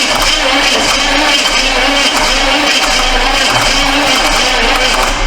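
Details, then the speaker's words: Neglected 1982 Chevy Silverado C10: harsh, labouring starter churn that never catches, with the battery at about 12 V and the cables getting hot. The battery is judged junk. "Man. Don't tell me this thing's dead too. Cables are getting hot."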